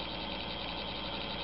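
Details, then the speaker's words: DC model locomotive run on a DCC track at address 00 while creeping slowly: steady, high-pitched electrical buzz with a faint hum under it, an unpleasant sound of a DC motor on DCC supply that can overheat if left stationary. "And as you can see, the the noise is not uh not terribly pleasant, but he is functional."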